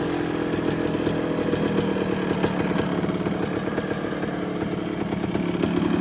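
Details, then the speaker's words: 1974 Honda MT250 two-stroke after engine rebuild with new seals, NOS piston and rings and honed cylinder, first start, air-fuel screw adjusted: steady, crisp buzz at an even idle, no stumbles or knocks; running healthy. "And idle that just a little bit. That sounds really good. I'm pretty happy with how that turned out."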